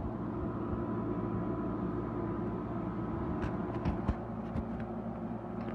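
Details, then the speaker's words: Haier QTPC05AA 5050 BTU window air conditioner on high cool: steady low buzzing hum with even fan rush and no knocks or rattles, the compressor engaged and running normally. "the compressor has engaged and is in active cooling mode you hear it buzzing that is high speed making its noise"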